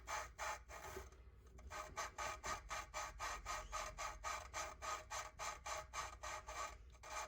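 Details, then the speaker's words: Audi A4 cylinder head valve being hand-lapped with 120–220 grit compound; gritty back-and-forth rasping strokes that shift from low rough grinding to a high-pitched, very low-volume sound as the seat smooths. "and once I start hearing that real high pitched sound it's high pitched but very low volume"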